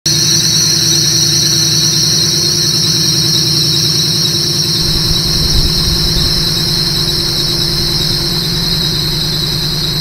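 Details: Car idling smoothly with a constant high shrill squeal from a dry accessory belt slipping on its pulleys; belt dressing spray is applied to stop the slipping.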